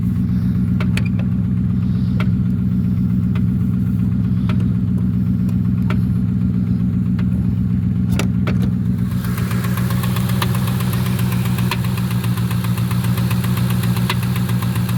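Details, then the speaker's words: 1996 Ford Mustang GT convertible, 4.6 2V automatic, known bad motor: rough idle with a steady low rumble, then a fast even tapping about four per second; engine knock suspected, engine also revving up on its own. "I think it's getting ready to tell a knock-knock joke. >> You think it's going to tell a knock-knock joke? >> Yeah, it's getting ready to tell a knock-knock joke."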